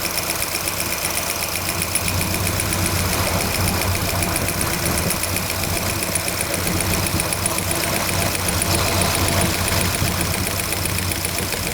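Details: Cold start, engine running: fast, fairly even light valve-train ticking about four per second, typical of a noisy rocker arm with loose lash; cause suspected, not confirmed.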